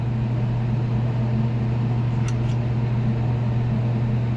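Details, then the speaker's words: Daikin McQuay 2-pipe fan coil unit in a hotel room after new actuator connections, in heat mode with electric heater on: steady, even low hum with no rattles or scraping; running normally. "and it's not we're good to go and there you have it back up and running"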